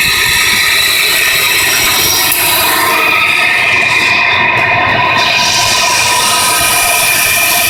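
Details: 1993 Nissan Pathfinder SE engine running with fast, uneven metallic ratcheting ticks about three per second, appearing a few weeks after timing belt and other belts were replaced; owner wonders about the oil pump; cause unknown.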